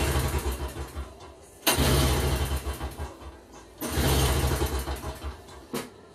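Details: Toro CCR2450 snowblower, 141cc R-Tek two-stroke on mix gas, no-start with a leak: short sputtering bursts about two seconds apart catch briefly and die; hard starting, cause uncertain.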